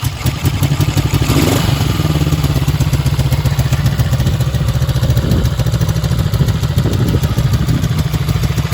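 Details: Freshly restored 1965 Honda CB77 Superhawk with electric start and reproduction mufflers and header pipes at idle: an even, steady twin-cylinder idle with a crisp, regular exhaust beat and no knocks or rattles. It runs healthy.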